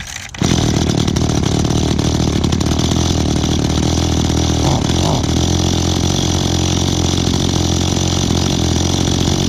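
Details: Echo small two-stroke outdoor power equipment being started for the season catches and holds a loud, buzzy high drone that wavers slightly; the carburetor seems to need adjusting (suspected, not confirmed).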